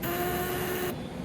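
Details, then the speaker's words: Hydraulic press after installing a pilot check valve and changing the pump side, oil flowing as it is pressed: a steady mid-pitched whistle that stops briefly and returns; normal whine from the pilot valve spring. "ये आपको आवाज़ आ रही होगी, ये pilot वाल की आवाज़ है, जो स्प्रिंग लगा हुआ है उसकी वजह की आवाज़"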